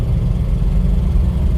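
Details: 1959 Cadillac DeVille 6.4 L V8 after new intelligent spark plugs and timing adjustment, floored on a mountain road: deep, steady wide-open-throttle roar, smooth and even, no misfires or knocks, a little more powerful; healthy full-throttle acceleration.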